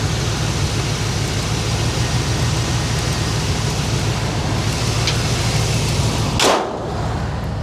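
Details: 1978 GMC Jimmy / K5 Blazer, chopped, mostly new parts, after sitting for most of a year, heard under the hood: low steady V8 idle rumble, even beat, no knocks, misses or ticks; normal idle.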